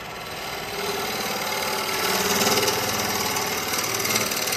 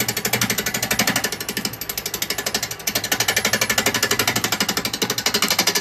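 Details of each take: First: Wood lathe turning an ash tray blank with a carbide chisel after raising speed; steady hissing cut at even pitch with no rhythmic bouncing, blank now spinning true and cutting smoothly. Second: Wood lathe turning a very out-of-balance blank with a 15 mm round carbide chisel at low speed setting 7.5; rapid regular clatter about four per second over a high-pitched cut as the tool bounces on the wobbling blank.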